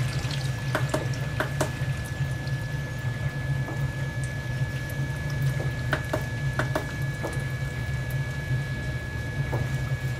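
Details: Basement Watchdog Special (Pro Series 1730) backup sump pump, rated 1730 GPH at 10 ft, test-run submerged with a float lifted by hand, about five feet of lift, third-generation reconditioned controller: steady low motor hum under swirling, splashing water, even and unbroken; normal sump pump operation.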